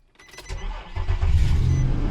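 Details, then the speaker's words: 4-liter engine with a completely dead battery, jump-started with a Lokithor J400 jump starter: short crank catches almost at once and settles into a steady, even idle with no stumble or misfire. "Starts right up."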